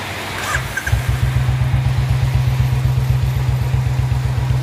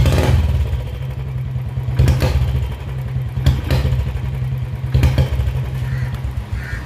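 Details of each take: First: Royal Enfield Bullet 350 BS4 single after its BS4 CDI was swapped for a BS3-type unit: deep, even thump at about four beats a second, no skips; missing cured, running cleanly. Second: Royal Enfield Bullet 350 BS4 single misfiring, dying on slight throttle and prone to heating: low, lumpy thump with uneven beats and surges every second or so; faulty CDI unit was the cause.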